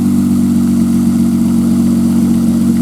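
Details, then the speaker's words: 1995 Nissan Maxima after replacing two injectors, started after sitting a few hours; smooth steady low hum at idle with no tick or tap, earlier noise gone: normal idle. "that consider a few hours and it started up and there's no noise at all"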